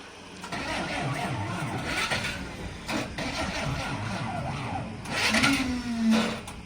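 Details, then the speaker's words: Truck cranking in the rain: slow, uneven cranking bursts that never catch; owner assumes flat battery, plans jump start, cause unconfirmed. "I assumingly the batteries flat we're gonna try and give her a jump start and see uh see if we can work things from there slightly annoying it's not happy"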